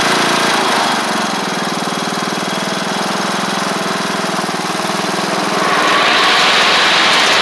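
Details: MTD Craftsman LT1500 riding mower with replacement single-cylinder engine, first run with blades on after a suspected stuck float: smooth, even drone picking up cleanly as the blades load in, no miss or knock; healthy.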